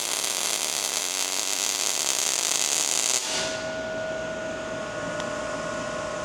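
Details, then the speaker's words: ARCPEX MIG200 MIG welder with voltage dialed in: continuous even frying buzz with no popping or sputter, settling to a lighter hiss; arc voltage in the right zone. "Dial it until you hear the steady bar. That's the zone."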